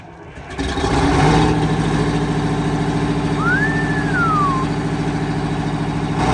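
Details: Four-wheel Alvis Stalwart, first start in over 30 years: catches and settles into a steady, even diesel rumble with no misfire, running smoothly; normal running.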